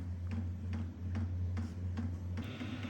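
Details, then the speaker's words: Vevor 8KW diesel heater (2025 model), cold startup: light regular ticks about twice a second over a steady fan hum as the fuel pump starts pulsing. "And it takes a couple minutes for the startup procedure and before it actually starts to blow out some heat. All right, the pump just started kicking there."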